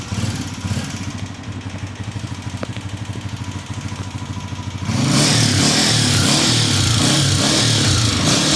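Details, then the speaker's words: Honda CG 125 motorcycle at idle: light, regular ticking about three ticks a second, busier when revved; worn tappets, to be fixed by replacing tappet rods, not piston, rings or cam gear. "नहीं भाई कुछ नहीं डलेगा, इसका ring piston कुछ नहीं डलेगा, इसके टैपर रॉड डलेंगे, ये हो जाएगी ओके भाई इंशाल्लाह।"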